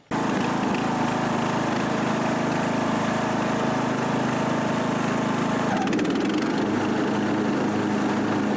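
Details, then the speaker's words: Husqvarna riding mower after repairing and taping a shorted exposed wire that caused the dead battery and blown fuse: steady engine drone at even speed, deck spinning without misses or surging; normal running. "That's it. Mower is working, and that's a common error, mechanical short of the wires."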